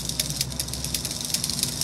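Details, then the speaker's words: Bachmann HO-scale U36B locomotive pancake motor at about 70% power, lifted off the track: irregular sharp clicks, four or five a second, over a thin motor hiss; the loco barely moves and the motor needs a rebuild. "Yeah, as you can see, it's at about 70% power. Not really moving. So since this picks up power only from the rear, let me show you something. If I lift it up, there you go, you hear the clicking?"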